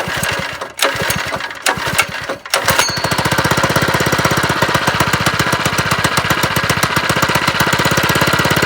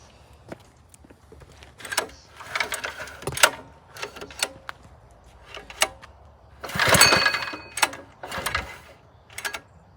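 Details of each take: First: Homemade lowrider go-kart on first start, with the small engine loosely held by only three bolts and no throttle cable: after a few stumbling catches it runs fast with a harsh, rattly beat that sounds wrong; cause unclear. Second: Lowrider go-kart small engine on first start after mounting, held by only three loose bolts, no throttle cable or brakes; several pull attempts, then catches in brief bursts and runs rough and uneven.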